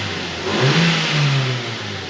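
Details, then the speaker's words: 2005 Mazda 3 after new motor mounts installed, revving in park: clean blip that rises and settles smoothly with no clunk or knock; engine and mounts sound tight and healthy, normal revving. "Man, this thing is sounding and feeling really good, really tight."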